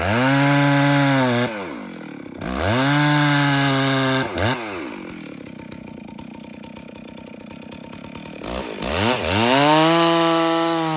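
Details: Rebuilt Stihl 064AV chainsaw still being broken in, leaned out slightly, cutting a large birch. It holds a steady, strong note in the cuts but sounds soft and blubbery off the wood at idle; the carburetor mixture is still slightly rich.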